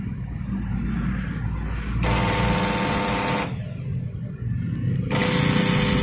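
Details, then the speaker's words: Makita 9553B angle grinder, no power and burnt smell, brushes still full, commutator clean, no sparking: motor hums in uneven, labored bursts without reaching a clean high whine; weak rotation, suspected shorted armature or stator winding. "you can see this, even though there is no ignition, it's still very clean, but the rotation is weak and now I can smell the burning smell."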